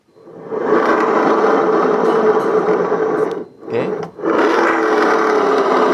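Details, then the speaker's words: Yamaha Mio J scooter CVT, pulley turned by hand: rough gravelly growl swelling and fading; CVT growl pointing to worn driven pulley bearings. "kali ini AGM channel kedapatan motor Mio J ya kondisinya yaitu ngorok di bagian CVT oke mas bro Saya tunjukkan ya"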